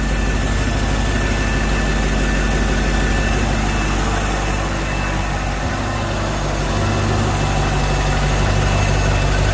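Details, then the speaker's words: Volvo Penta 6.0 marine engine just after head gasket install, first start with water on: steady even low rumble at idle, no knocks or misses, no leaks or alarms; idling normally. "it sounds good i don't see any leaks down here anywhere"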